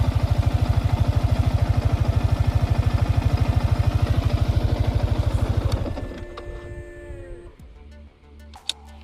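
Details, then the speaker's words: Yamaha R15 V4 at 26,126 km, freshly washed: smooth, very regular low idle pulse, rocker and head area quiet with no top-end ticking, then a clean shutdown; the owner presents it as a smooth idle. "आणि ह्याचा पहिला हॉलचा आवाज ऐका. Rocker आणि hall याचा आवाज ऐका, किती स्मूथ आहे."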